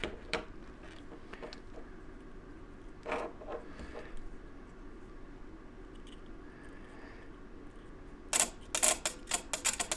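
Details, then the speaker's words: Hot tub heater relay bench-tested by powering its two closer pins from a 9-volt battery: sharp, crisp clicks in a quick irregular burst as the contacts pull in cleanly, a normal relay, while the tub won't heat past 85. "You hear it clicking. Now when it clicks like that, it should be together."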